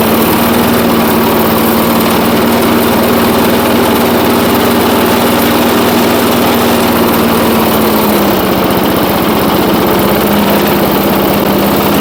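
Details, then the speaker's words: 1980s Firestone 22-inch lawnmower, single-cylinder, sat about 20 years, first runs after revival: steady even hum, speed dips then settles after carburetor adjustment, slight smoke expected to clear as it warms; normal running while warming up. "As you can see, she's smoking a little bit, but I would expect that from sitting for so long. Once this thing runs and gets some heat in it, um hopefully that will go away."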